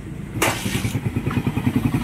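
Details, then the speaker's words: Motorcycle engine after repair, which had been very noisy before: it starts and settles into a steady, even, quiet idle with no knocking or rattle. "yung sinasabi ko kaninang mawawasak na ang makina pero ngayon tahimik na ulit ang ganda na ulit boss"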